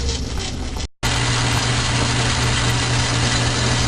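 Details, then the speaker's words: Logan lathe after fitting a new brass gear-change idler bushing, running on high speed: steady even hum, no knocks or chink from the gear train; runs smooth and quiet. "But running smooth, quiet, no chink. Changes back and forth. Really nice."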